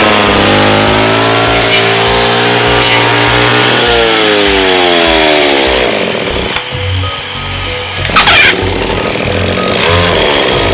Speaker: Máy cắt cỏ hướng dẫn sửa chữa khó nổ không đều